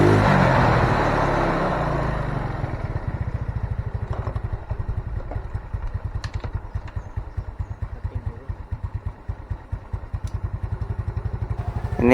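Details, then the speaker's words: Yamaha Mio Soul carburettor scooter after carb repair and new vacuum rubber, kick-started: single settles into a steady, even thumping idle with clean firing, revs now rise; normal running before mixture and 1500-1600 rpm idle adjustment. "langsung naik ya setelah kita ganti. Tapi coba kita setel dulu ya."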